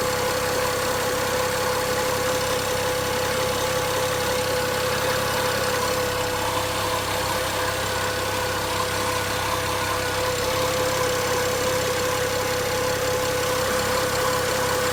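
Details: BMW 335i, 43k miles, idling: fixed high tone with a light, uneven tick of about three per second; owner asks what the ticking could be, cause unknown.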